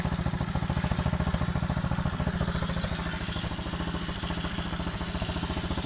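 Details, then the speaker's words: Warmed-up small four-stroke pit bike after a cleaned carb and new throttle cable, fuel filter, air filter and spark plug runs normally: quick, even exhaust pulses hold a steady beat with no skips or clatter. "seems to be going really well so it goes it is warm so i expect it to go straight away"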